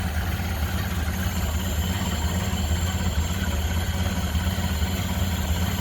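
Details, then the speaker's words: 1928 Ford Model A 5-window coupe, 201 cu in L-head inline four, water cooled, idling with hood open: even, low, steady idle with a soft regular pulse and no knocks or misses, running smooth. "But look at how smooth this thing runs. Just sounds great."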